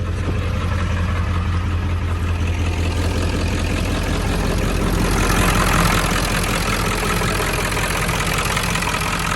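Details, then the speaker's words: 7.3 Powerstroke diesel warming at idle after IPR replacement: a deep, steady clatter at about 160 beats a minute with no misses. It runs smoother and quieter; IPR is at 19.5% and falling, with blue smoke while cold. "But wow, I mean, it seems to be running a lot smoother, honestly. A lot quieter, and but the IPR percentage is going down slowly. Wow. It's at 19.5%."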